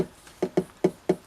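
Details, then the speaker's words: Rediffusion Mk3 colour TV, about 1978–79, run on a variac with speaker unplugged: after a brief raster, sharp uneven knocks about every fifth of a second as the variac trips on overload; slight burning smell suspected, 300 V HT rail very low. "something's gone off and I'm not even sure if I can't smell a slight smell of burning but if we turn it on listen to the variac but the barrier doesn't like that"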